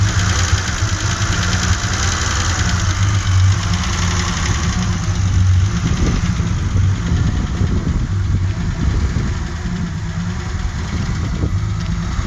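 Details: 1984 Alpina B6 2.8, M30 2.8-litre engine: deep lumpy idle with uneven beat and occasional stumbles in the exhaust note; misfire at idle, cause not yet found despite troubleshooting.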